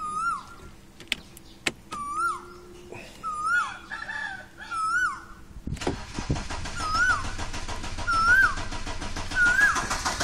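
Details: 1995 Audi 80 2.0 ABK petrol cranking with no start; fuel pump works, ignition cables and distributor cap recent, cause unknown; starter turns engine over at steady even rhythm but it never catches, birdsong in background.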